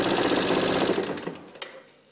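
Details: Yamaha XMAX scooter engine described as "sick": a fast, dry, even ticking clatter over the running engine that dies away as it shuts off; an abnormal mechanical noise, cause unknown.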